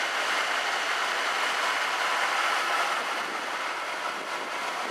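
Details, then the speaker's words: Truck with small-block 350 V8, runs fine off factory gas tank, starts and idles steady and even with no knocks, misses or stumbles; normal idle. "this is a small-block 350 and the truck starts and runs great let me fire it up so y'all can hear what it sounds like"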